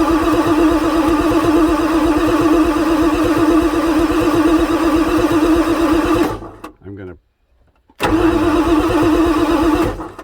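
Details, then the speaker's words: 1994 Ford F-450 7.3 diesel, cranking on fresh temporary batteries after priming the oil pump housing, ICP over 1 V, injectors heard firing: steady even cranking, smoking, blow-by from the intake, never starts; engine suspected worn out. "well it's smoking foreign I think this thing is just so freaking tired you can see the blow-by coming out of the air induction system"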